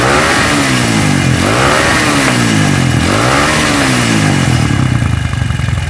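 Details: CB motorcycle with a stroked-up engine that vibrates badly: revs swing with a coarse, uneven clatter from the cylinder head that rises with speed, like a loose camshaft. Worn camshaft.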